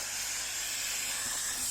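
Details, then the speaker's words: Dirt Devil Easy Steam Express II DDSTM1500 steam mop, about 10 years old, after removing mineral buildup from the heater: loud, steady, high hiss with no sputter, strong steam output like a jet exhaust, not seen since it was new. "Hasn't been like that since it was new. Oh, look at all of that. Wow, it's coming out like a jet plane exhaust."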